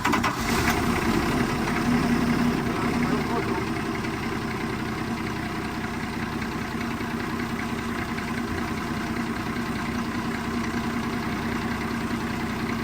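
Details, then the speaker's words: 7 Series 7FKU40 8,000 lb diesel forklift, engine rebuilt after seizing; now starts but won't rev, gaining only 200–300 rpm: flat steady idle barely rising when throttled; engine will not rev. "As you can see there, I'm accelerating and it doesn't accelerate barely anything, and so that it's a big problem, because if it doesn't accelerate, customers aren't going to be happy, obviously, and we can't leave it like this."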